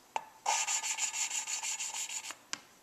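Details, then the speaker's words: Suzuki Sidekick cylinder head rebuild, new valve being hand-lapped with grinding compound: rhythmic gritty rasping strokes at about three per second, with a heavier grind at the start of each turn. The valve is not yet fully seated; lapping continues until the start grind disappears. "the way that sounds right there is the way it should sound when I start every time I pick it up so I'm just gonna keep going until I get rid of that grinding sound at the beginning"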